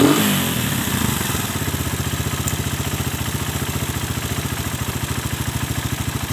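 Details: Suzuki Satria FU, otherwise stock, just fitted with a new PE 26 carburetor and air filter: after a brief blip, even rapid exhaust pulse settles into a smooth steady idle with no misses; sound is good.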